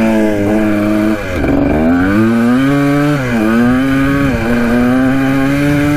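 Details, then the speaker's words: 1980 Kawasaki KDX 175 two-stroke dirt bike revived after sitting, with makeshift silencer: note climbs in uneven pulls, revs out fully but slowly; owner suspects the carburetor slide. "the bike runs pretty good but i think it's just a slide that's causing issues you can hear it uh rev out all the way but it takes a little bit i think it might be the slide"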